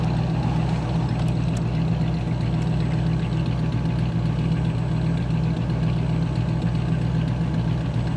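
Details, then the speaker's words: 1967 Buick Riviera V8 cold-started after a battery replacement, idling low with a slightly uneven, loping beat of roughly ninety pulses a minute; still rough, with a carburetor issue suspected even though it has been rebuilt. "so there's definitely a proper carbonator issue still you know it's been rebuilt a little bit more"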